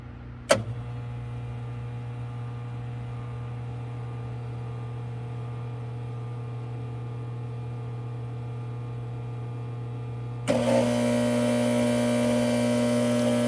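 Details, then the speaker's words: Frymaster FPEL314CA electric fryer (2015, 208 V three-phase) heating. A steady low hum, then a harsh electrical buzz cuts in and holds while the heat cycles. The heat contactor has a stuck coil and needs replacement. "As you can hear, in a little while it starts to make that noise. When it's cycling or it's when it's hitting continuously, it makes this noise. So I believe it's coming from the contactor. One of the coils is stuck."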